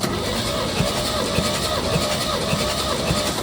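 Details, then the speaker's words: 1969 Chevy C30 after head gasket replacement, cranking compression test on cylinder 3 (piston has nicks): even, steady beats with no hiss; all cylinders now have good compression. "So, I took the back three cylinders, too, and they were all above 120. So, we got good compression on all cylinders now."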